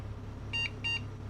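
Two short high-pitched beeps about a third of a second apart over a faint hum; the PC passing its self-test and starting.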